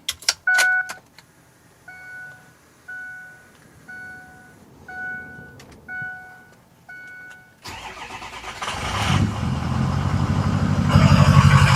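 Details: Neglected Ford 6.0 Power Stroke just after an oil change with oil priming: a few dash chimes, then the diesel cranks, catches and settles into a steady, even idle with no knocks, misses or leaks; normal diesel idle.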